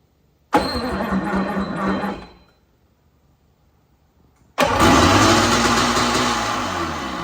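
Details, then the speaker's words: 1995 Sea-Doo Speedster, spark plugs out so no compression: starter labours slowly in a strained burst and barely rotates the engine back and forth; owner suspects the jet pump/impeller shaft is seized, squealing also noted. "this guy here barely rotates back and forth it's definitely not doing well that's with no compression guys"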